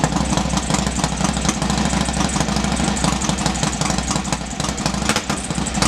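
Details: Norley cafe racer V-twin, first start in about three years after heads refitted and clutch slave cylinder rebuilt; lumpy but steady idle with regular firing pulses and no knocks, a bit smoky, likely from oil put down the bores.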